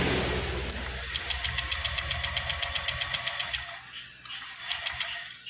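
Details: Honda Vario 125 LED scooter with MIL code 52 (CKP sensor fault): quick, even starter cranking pulses about four per second over whirring starter, engine spins freely without firing; starter itself works normally.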